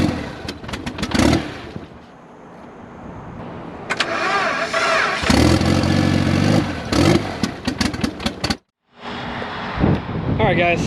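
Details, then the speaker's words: Engine catches and revs, then the idle surges and wanders instead of settling; idle air control valve found failing, not moving in and out when tested; unstable idle from stuck IAC valve. "it is the IAC seems to be failing when I tried to push it in and start it up to see if it would actually push in push out it's just not it"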